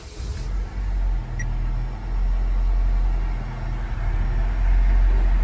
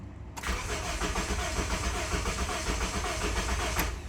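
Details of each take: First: 2007 Honda Civic 1.8 L four-cylinder, earlier a crank-no-start with no fuel pressure, now running: short spell of cranking, then the engine fires and settles into a steady low, even idle; sounds healthy. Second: 2007 Honda Civic 1.8 L four-cylinder, crank-no-start, no fuel pressure seen from the fuel pump, RPM signal present while cranking: steady starter churn for several seconds with no firing or pickup; no fuel supply.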